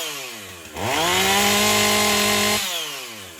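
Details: Husqvarna 450 two-stroke chainsaw after rebuild, NGK plug swapped for Hipa plug, top cover off: snaps to a clean, steady full-throttle scream and drops back smoothly; sounds much better, original fault thought to be wrong chain gauge.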